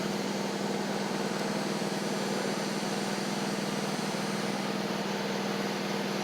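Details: John Deere D140 riding mower, once parked for blowing fuses, with nearly new spindles: the deck runs with an even whirring rush over a steady engine drone and no bearing whine. The spindles are still a bit loud but sound better and quieter; normal deck running.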